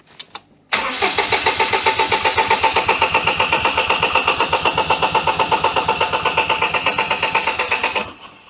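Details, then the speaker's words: 2006 Daihatsu Charade (Cuore/Mira) L251 after engine swap, second battery connected, brake cleaner sprayed as starting aid: starter cranks steadily about seven seconds but engine never fires. "yeah we've got no firing engine rpm is the one we need so let's just give her a crank on that"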